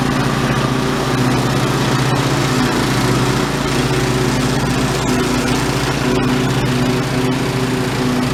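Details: White LT1300 lawn tractor with old OHV Briggs engine, repaired after a failure, mowing grass: steady, even single-cylinder drone holding speed with no misses, knocks or surging. Normal running under load.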